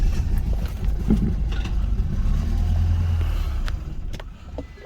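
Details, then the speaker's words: 2015 BMW 328i with drivetrain malfunction warning after driving through water: engine catches with a low rumble, runs rough, putters out within five seconds despite feathering the gas; stalls after starting, cause suspected, not confirmed. "you guys hear that it started puttered out like within five seconds try it again I'm Feathering the gas pedal right now to keep it going"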